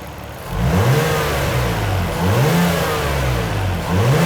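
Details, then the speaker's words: 1998 Nissan R34 Skyline (auto), warm, after IACV clean and TPS replacement set to 0.51 V: engine catches, flares, then settles to smooth steady idle about 750–800 rpm with gentle periodic swell; normal idle. "yeah all right I got that is sitting at about 800 750 to 800 RPM at the moment so uh I'm stok with that that's awesome"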